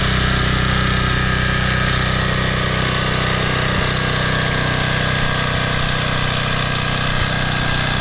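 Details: Toro Personal Pace 20333 mower, Briggs & Stratton 190cc engine, restarted on its new aftermarket carburetor with correct governor shoulder bolt: holds a steady, even speed with no misses, surging or knocks; runs cleanly, normal.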